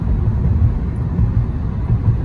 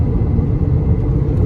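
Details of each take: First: 2011 Honda Accord driving after left wheel bearing replacement: steady low road rumble with no growl or hum building with speed; bearing noise gone, running normally. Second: 2011 Honda Accord driving on the road: a low droning hum that rises and falls with speed, goes away when switching lanes and increases on left turns. A bad wheel bearing; the owner suspects the left one, where he hears it.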